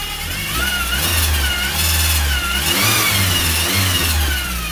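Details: VW Scirocco Mk2: a thin high whine over the engine rises and falls with each rev, tracking engine speed. The source of the whine is unconfirmed.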